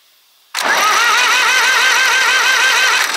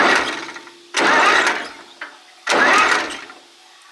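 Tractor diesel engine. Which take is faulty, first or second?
second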